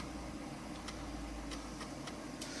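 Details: New Old Stock Amiga 1200, unused 17 years in a warehouse, floppy drive accessed: scattered sharp head-step clicks over quiet room hum; floppy drive working normally.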